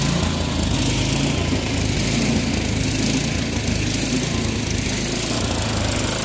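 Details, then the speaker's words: Troy-Bilt Storm 24-inch snowblower after clearing the air vent, adjusting the float tab and fitting a new spark plug: small engine holding a steady, fairly even drone with no surging or misfires; runs cleanly. "i do believe we got this running about as well as it's going to get without getting too involved with uh new carburetor parts"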